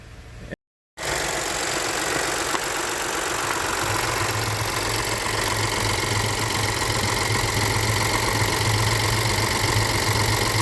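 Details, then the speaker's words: High-pressure fuel pump engine right after a second diesel engine flush, with oil well overfilled: a smooth, settled idle with a low hum and no misses. It runs fine during a one-hour idle, though it later smoked and set a check-engine light. "So it's running fine right now."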